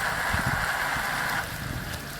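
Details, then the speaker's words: Powerful pump flushing a suspected clogged well through the heat pump pipe, third priming: muddy gurgling flow with a hiss that suddenly drops away as the water runs out. Pump sucking air, well drawn down, filter clogged. "I filled the pump for the third time, again the same muck! The water ran out again,"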